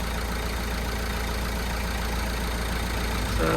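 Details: Citroen Berlingo van, about 160,000 miles, freshly started after a timing belt and water pump change, still to warm up and bleed: a smooth, even low rumble at a steady idle with no ticking, knocking or squeal. It is a healthy idle.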